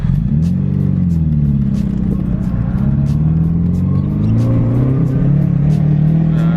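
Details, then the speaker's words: 1986 Mercedes 190E Cosworth after full ignition system replacement, driving in second gear at about three-quarters throttle, shifting near 3,500 rpm: engine pulls and rises in pitch, broken by irregular sharp pops about twice a second; sputtering under load, cause not confirmed. "There's the sputtering. Second gear. It's about like three-quarters throttle."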